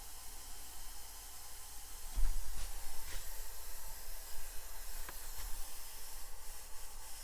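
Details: Maple sap vacuum system with pump running: steady airy hiss over a low pump hum with handling knocks, air drawn in at a loose line fitting; after tightening, vacuum reads 23 inches and climbing.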